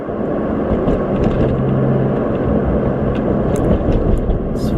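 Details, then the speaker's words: Nissan 350Z after rear wheel bearing replacement, test drive at 30–40 mph: even tyre and road rumble with no whine rising with speed, where the old bearing whined from about 40 mph; bearings now quiet. "30 35 miles per hour I don't hear anything at all all right 40 I don't hear it"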